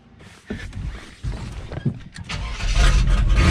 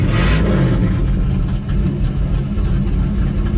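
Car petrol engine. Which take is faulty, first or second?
second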